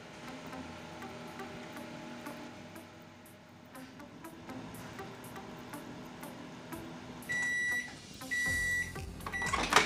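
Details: Microwave oven that previously would not heat, tested with water on a 1-minute setting after magnetron replacement: steady, even hum, then end-of-cycle beeps; the water now boils, so it is heating normally.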